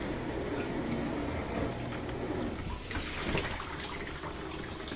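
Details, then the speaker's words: Frigidaire dishwasher after cleaning glass, ceramic, metal, toothpicks and plastic from the circulation pump, earlier suspected of bad bearings: steady wash sloshing over a quiet, even pump hum, no grinding; running normally. "and quiet back to normal"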